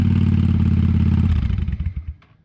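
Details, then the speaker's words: 1998 Honda Shadow 750 ACE after restoration (tank cleaned and sealed, carburetor cleaned, new petcock, new air filter): even loping V-twin beat through the pipes for a couple of seconds, then shut-off; normal running. "I'll give you another little little crank up so you can hear the pipes, but uh that's about it."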